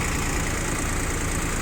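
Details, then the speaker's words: Yanmar FX22 rear-wheel-drive Japanese compact diesel tractor at idle: steady, even, smooth low chug with no knocks or misses; engine runs evenly and sounds healthy. "заканчивать работает ровно весь комплектный хороший"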